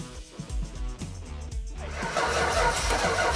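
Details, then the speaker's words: Daren's old Challenger after a 12-month build: the starter cranks in quick even beats, then the engine fires and settles into a steady rough roar. It is running now and sounds good. "now we got fire sounds good huh"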